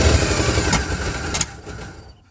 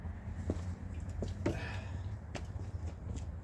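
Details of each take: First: Checker Marathon with a 250 engine, just rescued, which burns oil; vice grips on the coil. Uneven, loping idle with a couple of sharp pops before it stumbles and dies. Suspected to be running lean with timing way off; rough idle. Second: Checker Marathon's six-cylinder, first start after jump-start on a weak battery: settles into a fairly even, smooth idle with no lifter tick or knock and instant oil pressure, though it burns oil; sounds healthy overall.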